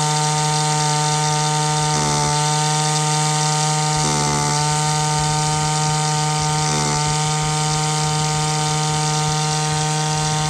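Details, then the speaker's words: Echo 2-stroke line trimmer while its high-speed mixture screw is turned in to lean it out: a high buzz with rough four-stroking warbles evens into a smooth, clean two-stroke scream. Rich mixture corrected. "so you hopefully could hear the difference in the video the tone of the engine change from that sort of ruff that ruff four-stroke sound to the smooth two-stroke sound just by turning in that screw"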